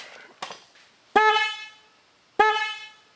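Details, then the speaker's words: 2007 Pontiac Solstice, first of new dual replacement horns connected alone to the reused original connector: two firm clean honks about a second apart, steady bright tone, crisp stop; horn works properly. "Okay, now we know what one horn sounds like."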